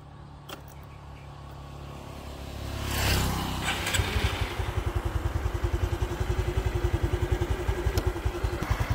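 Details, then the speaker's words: 2014 Honda Future motorcycle, clutch weak with some shaking: after starting, idles with a light metallic cam chain tensioner rattle and a taut whining cam chain; to be disassembled for tensioner repair and valve lapping. "này là tiếng kêu tăng cam rồi nha Với lại s cam mình nghe cảm giác nó căng nó hú anh em thì mình về mình tháo ra cho anh em coi nha"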